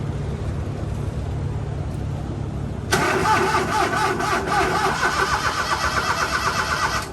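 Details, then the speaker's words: HiJet mini truck after head gasket, timing belt, water pump, bearings and valve cover gasket replacement, fresh oil and coolant, fuel still priming: starter spins briskly and steadily for about four seconds, but the engine never catches. It cranks but won't start. "Well, that was cranking good. I'm gonna let it prime up a little more."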